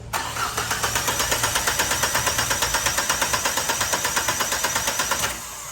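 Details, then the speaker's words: Engine with a leaking injector (cylinder 4) after an unchanged gas (LPG) filter; owner reports hard starting and shaking. Starter cranks heavily at under three beats a second for about five seconds and never catches: hard start. "กะบ่หนักและไม่ติดอ่ะเทพชัดเลยเนี่ยตัวแรงตามนี้เดี๋ยวถอดดูหัวฉีดว่ารั่วถูกไหนเนี่ย"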